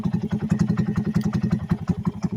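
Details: 2020 Honda Grom single at idle on stock ECU with narrowband O2 signal: lumpy, uneven thump with weak or late beats; idle changes once switched to wideband-emulated signal; rough idle attributed to the narrowband fuelling.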